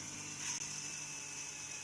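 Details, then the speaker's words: Newly fixed rotor drum hub, replaced after the old one broke, spun faster by hand before magnets and coil are fitted: steady high whir, no roughness or clunks; bearings healthy. "bearings are making a bit of nice that's really sweet i mean it sounds like it's got a sweet sound it doesn't sound rough and bumpy and clunky so that's good"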